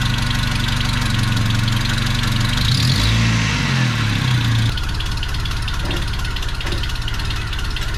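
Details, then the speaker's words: 1985 Toyota 4Runner after engine rebuild, started for warm-up and timing check after an unplugged ECU connector was fixed: catches, blips up, settles into steady even idle with no knock or misfire. "I figured out the 4Runner. There was a plug that was unplugged behind the ECU that was making it not run properly. So anyways, I can fire it up, get it warmed up, and make sure the timing is where it needs to be."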